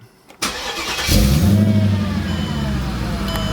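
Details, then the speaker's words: Mercedes CLK55 AMG with M113K supercharged V8 swap, check engine light with EVAP and O2 sensor codes; warm restart, brief crank under a second then catches cleanly to steady idle; always fine after initial long cranks, cause unknown. "like you guys see that's the second time I start it every time it's always fine after those first long cranks so I I don't really know what to make of it at this point"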